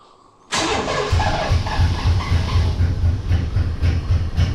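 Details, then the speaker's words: Chevy engine fires and runs with a loping, uneven beat of about four pulses a second, stumbling instead of settling, only "kind of sort of running" after the pump primed; rough running after start, cause unconfirmed. "so anyway let's let the pump run for a minute I can't hear this one running but that may just be my ears so in five four three two one well that was kind of sort of running"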